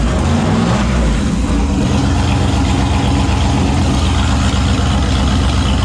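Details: Turbo 5.3 LS V8 Mustang build, first successful naturally aspirated startup after fixing a weak-battery starting issue and swapping the passenger-side injector harness wiring; loud deep steady rumble settling into an even fast idle, no misfire or knock, normal idle.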